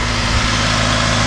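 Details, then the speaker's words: 2002 Mitsubishi Lancer OZ Rally after valve cover gasket replacement, cold engine idling a little high: steady, even low hum, purring with no knocks or misses; normal idle settling down. "It's got a little bit of a high idle, it's cold. She'll come back down. Yeah, you can hear this thing purring."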